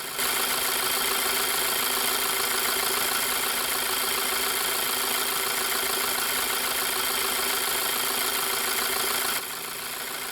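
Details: Petrol engine at low idle, finger over the oil separator (PCV) cover hole: steady, even idle with no sucking or whistling, so the membrane is intact and the separator works normally.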